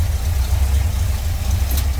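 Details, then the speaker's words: 1970 Chevrolet C10 with a 350 V8, headers, newer exhaust, Edelbrock carb and intake (possibly Performer RPM). Deep, even V8 burble holding a steady low rumble with no misses, knocks or ticks: a normal, smooth idle. "Looks like a Performer RPM to me. Smooth running 350. Sounds good too."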